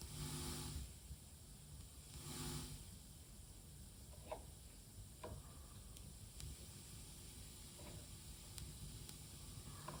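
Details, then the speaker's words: Tascam LM-8ST mixer feeding a Presonus monitor over XLR, now on the ST2 output: bursts of scratchy crackle and pops over a low hiss as the volume is turned. Heard on a single channel, louder on master, regardless of cable or speaker. "You can hear the cracking, popping noise as well. You can already hear it on the single channel, but on the master for sure."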